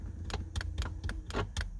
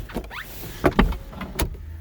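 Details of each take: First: Mazda MX-5 with an MX5 Things automatic roll-up windows controller installed: sharp clicks about every quarter second when the window switch is pressed, with no motor hum; window motor does not run. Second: Mazda MX-5 fitted with an aftermarket automatic roll-up window controller that behaves inconsistently. On this attempt a short motor hum and soft clunks are heard as the glass travels up and seats, working normally this time.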